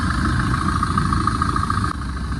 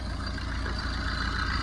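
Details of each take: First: 2011 Tata Vista diesel, 124,000 km, idling after repair (timing chain, water pump, AC compressor bearing replaced, intermediate shaft bolt fixed): even low clatter with no knocks, rattles or whine, running healthy. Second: 2011 Tata Vista diesel, 124,000 km, idling with belts off after water pump and AC compressor bearing noise removed: loose rattly knock under idle rumble from broken intermediate drive-shaft bearing housing.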